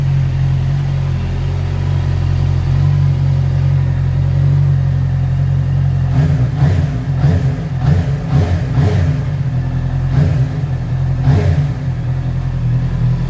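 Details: Heavy motorcycle after exhaust repaired, polished, painted and reinstalled: deep steady idle rumble, then quick throttle blips rising and falling cleanly, no rattles or leaks; normal exhaust sound.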